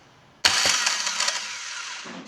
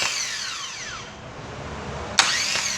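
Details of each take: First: 2009 Chevrolet Agile 1.4 starter motor run on the bench, owner heard metallic noise at cranking: harsh high-pitched whirring rasp; no defective part, starter was very dry and needed lubrication. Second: 2009 Chevrolet Agile 1.4 starter motor after removal and lubrication of a dried-out but undamaged unit: two short smooth spin-ups with a falling whine, no metallic noise or grinding, sounding like new.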